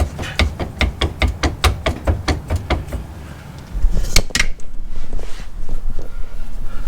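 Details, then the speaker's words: Jeep Grand Cherokee rear driveshaft rocked by hand underneath: about a dozen sharp metallic clunks, roughly four a second; recently serviced U-joints check out, clunk from worn slip yoke splines, driveline a little short. "So at first I thought that was coming from the U-joints, which is where that would normally be a lot more common, but I did just service these beginning of winter and both sides check out. It's coming from the splines, and you can see my drive line's a little short anyways."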